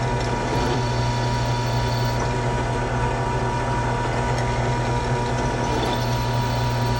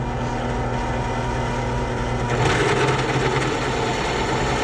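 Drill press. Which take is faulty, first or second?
second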